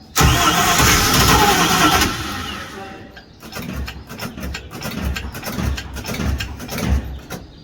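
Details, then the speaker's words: 1973 Holiday Mansion houseboat engine after the fuel filler hose and batteries were reinstalled: about two seconds of starter churning with no catch even with starting spray, then scattered clicks. It cranks but won't start; a fuel problem is suspected, with an electric fuel pump in question. "It's almost trying. Is it? It almost tried."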